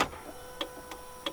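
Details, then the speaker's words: VW VR6 car after junkyard parts, key turned with alarm on: sharp, uneven clicks about four in 1.5 seconds, throttle heard about to engage but no cranking, car will not start. "I can hear the throttle about to kick on but with the alarm on the car will not start nothing"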